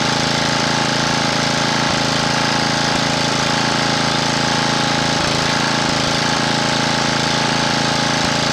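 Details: Honda GX240 small engine after re-cleaning the carburetor idle circuit passages and jets to cure surging: steady, even engine note at a fixed speed with no hunting, surging or misses.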